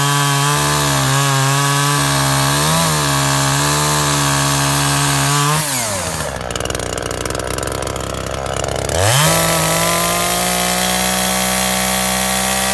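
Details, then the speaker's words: Makita top handle climbing chainsaw after ignition coil replacement, cutting wood: crisp high rev dropping into steady snarl through the cut, then clearing back to speed, running sweet; little chain oil, air filter missing. "seems to be running sweet can't get much chain oil though"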